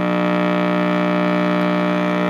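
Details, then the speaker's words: Heathkit T-4 switched on before repair: loud constant low AC hum in the audio circuit, volume has no effect, blamed on the dual-section can filter capacitor to be removed and replaced. "that's just pure AC hel in the uh audio circuit the U so all I have to do is take that cap out"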